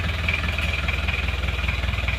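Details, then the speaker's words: Isuzu Panther Miyabi diesel after engine rebuild, glow plugs not working so it was hard to start, injection pump timing suspected too far advanced: rapid even clatter at a steady idle with no misses; still smoking, not yet warm, normal cold idle. "nah ini kondisinya seperti ini masih ngasap karena masih dingin belum [Musik] panas"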